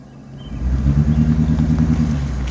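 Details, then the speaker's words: Gas V8 truck with check engine light, three coils already replaced: deep rumble rising in revs with choppy, stumbling beat under load, bad misfire, poor fuel mileage; owner suggests replacing all eight coils and boots. "yeah you guys can really tell yeah it sounds like a pile of crap"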